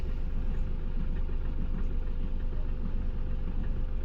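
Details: Mahindra Bolero Neo BS6 diesel with check engine light on: rough idle with steady knock and shaking, misfire and vibration; scan shows rail pressure sensor fault P019385.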